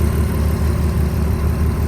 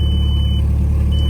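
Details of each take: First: 2004 Volkswagen Touareg V6, engine bay: even, steady low idle hum with no ticks, misses or knocks; engine still very clean and quiet. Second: 2004 Volkswagen Touareg V6, five-speed manual, 173,755 on the odometer, no check engine lights: deep steady idle rumble with faint puffing pulse from an exhaust leak at the flex pipe.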